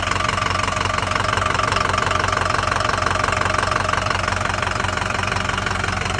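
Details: 2005 Ford F350 6.0 Powerstroke diesel idling with a steady, sharp, very even knock about two and a half per second; cause not yet pinned down. Engine knocking at idle.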